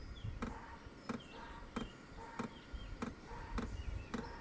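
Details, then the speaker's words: Hcalory HC2 diesel heater, new and on its first automatic startup at setting seven, trying to light. Sharp clicks about every two-thirds of a second over a faint fan hum; it then puffs a little smoke and lights. Finding: normal startup clicking. "Cool. It's trying to start. It's got It's making a clicking noise. So, uh let's give it a little bit."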